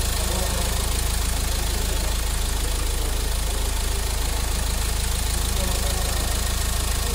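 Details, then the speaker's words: Mahindra XUV500 diesel after engine overhaul, done because a coolant leak caused overheating and a tak-tak noise: a steady, even idle clatter with a regular beat and no misses or knocks, healthy before the test drive. "अब हम इसका गाड़ी start करते हैं यह सुन सकते हैं friend आप इसका साउंड और फायरिंग"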